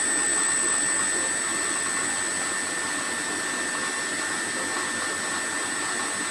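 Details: HPMONT HD30 inverter drive that previously would not start at all, load test after repair: steady high-pitched drive whine with an even motor hum, no hesitation or surging; drive and motor running normally.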